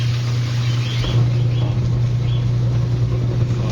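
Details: Manual washing machine after timer and gearbox checks and replacement of a capacitor that had lost capacitance. The wash motor gives a steady, strong low hum without grinding, dragging or labouring, timer switching forward and reverse, running normally.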